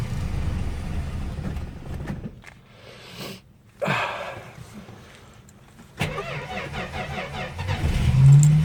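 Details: 53-year-old Plymouth Slant Six at about 12°F: cranks in bursts, catches, stumbles, then settles into a rough, loping run. The aftermarket choke is sticking closed, so it runs rich.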